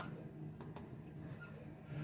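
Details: Vaillant wall-mounted gas boiler: steady low hum while running, two faint clicks; suspected clogged heat exchanger or antifreeze instead of water causing boiling as the pump can't cope; temporary fix is lowering max power from 32 kW.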